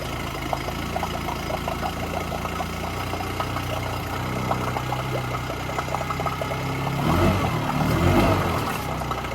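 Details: Yamaha 9.9 hp outboard in test tank, impeller confirmed working, only runs on choke: uneven faltering idle nearly dying as choke pushed in, brief surge when pulled out; stumbling near stall from fuel starvation, primer bulb not decompressing.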